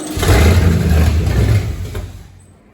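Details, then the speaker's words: 1969 Ford Galaxie XL GT convertible, 429 V8 with four-speed manual, first start after project work, oil still on plugs: deep, lumpy rev blip that sputters and dies unevenly, not firing on all eight, grunt lost; misfire. "Oh, that's lost. So, I wonder where the grunt went."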